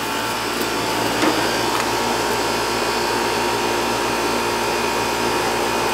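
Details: Outdoor AC condenser for the first floor, reported running but not cooling: steady even rushing hum from fan and compressor, no clicking, buzzing or cycling; running healthy.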